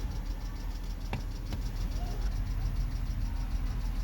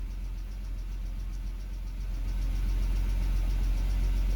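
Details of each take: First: 2007 BMW X3 with rough idle and stalling, air-mass faults 2A82/2D06, after replacing the mass airflow sensor: low, smooth, even idle with no hunting or surging; idle now steady. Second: 2007 BMW X3 petrol engine at idle, unevenly with a lumpy low pulse, RPM hunting up and down; it stalls at lights and low speed. Scan shows mass airflow, intake VANOS faults 2A82/2D06 and misfires in cylinders 1, 2, 5.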